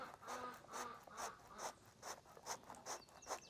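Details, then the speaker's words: Old AC compressor removed from a 2015 Toyota Highlander, seven-groove pulley, shaft turned by hand beside the new one. Dry scraping rasp about twice a second; rotation feels rough and worn inside, cause suspected, not confirmed. "Yeah, this doesn't sound doesn't sound good."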